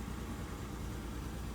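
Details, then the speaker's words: Lowered daily driver on coilovers, stock except high-flow cat, about 118,000 on the clock: low uneven idle with lumpy stumbling beat and vibration; misfire at idle, check engine light gone, cause not yet known. "let me grab my key here I'll show you what it's doing here as you see it has a misfire hey surprisingly check in really went away um it's not running the best"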